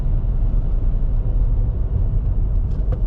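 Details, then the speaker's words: 2017 Nissan Altima, automatic, driving after a roll-on from about 25: smooth, low rumble at road speed with an even tone, no knocks, misses or whines. Normal running. "See how this car likes to boogie. Do a 25 roll. That boogie's pretty good."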